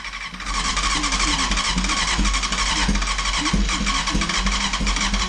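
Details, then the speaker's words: Barn-find Honda CBR900RR Fireblade SC28, stood over 10 years, first start attempt on a remote fuel tank after reseating the CDI plug: fast uneven cranking that never catches; owner suspects no airbox (lean) and a choke assembly problem, headers slightly warm. "I think it needs an air box on it to give a bit more fuel than we're probably in still not running still uh it's very close"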